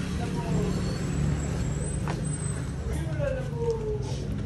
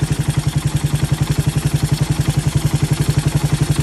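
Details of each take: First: Raider 150 with 28mm carburetor during carb tuning, mixture screw backed out one and a half turns from fully in; low steady single-cylinder idle thump, picking up slightly toward the end, running evenly, normal idle. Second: Raider 150 with 28mm carburetor during carb tuning, mixture screw wound in to tightest setting; single-cylinder thumping idle about 220 beats a minute, slightly uneven, running lean.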